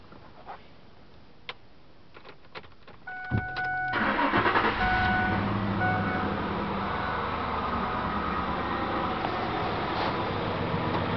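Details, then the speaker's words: 2003 Ford Explorer 4.6 V8 started cold: cranks, catches and idles with a faint steady stumble; cold misfire on cylinder five, mode six confirms, scope shows ignition coil secondary breaking down with poor burn time. "what we got is a misfire cold on uh cylinder number five and we checked the mode six and sure enough only number five was showing misfires"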